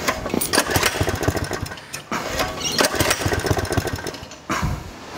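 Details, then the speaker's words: Newly bought vehicle started after belt work, cover off; catches and runs unevenly with ragged firing and falters, won't hold idle and dies; owner thinks the factory-set, paint-marked idle is too low. "it wants to go you know what i think i think that the idol is just a little low and they set these things and put a bit of paint on them but that just doesn't want to go"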